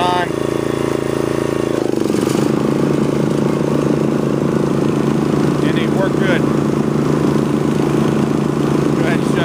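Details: Snapper riding mower, client's machine, in neutral with engine speed turned up and blades engaged: steady, even engine drone with blades spinning, no knocks, rattles or squeals; engine runs okay and blades work, passing the function test.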